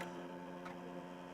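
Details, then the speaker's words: Sony CDU561 caddy-loading CD-ROM drive in a Macintosh Performa 550, just recapped for leaking caps and reassembled; light even ticking over the disc's spinning whir, possibly not put back together properly. "Oh god. Oh, it's making terrible noises. I hear the disc spinning."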